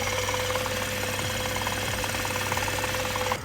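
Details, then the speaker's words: 2023 BMW M240i, B58 engine with only 4,000 miles, being rebuilt after wreck: deep, uneven knock about three per second heard from under the car, low middle of engine at warm idle; light ticking on top is normal. "But that's not the noise I'm worried about. When we go under the vehicle, you can hear a very interesting noise. Sounds like it's coming from somewhere"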